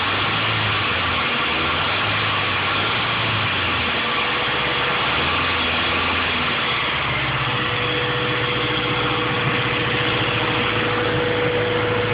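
Steady idle with a faint pulsing knock riding on the engine note; could be bottom end, but nothing here confirms it. Cause suspected, not confirmed.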